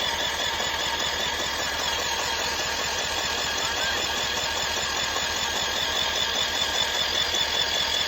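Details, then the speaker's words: 1980s Yamaha 225DX Tri-Moto three-wheeler, one of five bought as a bundle, cranked over on the starter during initial inspection: steady, even starter churn of about 2.5 strokes/s with no skipping; healthy compression. "Oh yeah. That's healthy. She got enough compression that she's gonna blow my finger."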